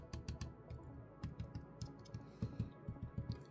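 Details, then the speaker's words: ASUS G16 2024 laptop opened up: light taps on the metal fan shroud give firm, dull clicks that die quickly with no buzz or rattle. This shroud is solid, unlike the other side with its loose screw. "quite solid let's take a listen to the other one"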